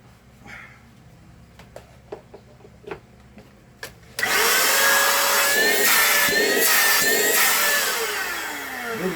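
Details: Philco handheld vacuum cleaner tested after reassembly following repair of a strange noise: quiet handling clicks, then the motor starts with a steady high whir and slightly wavering tone, running evenly with no grinding.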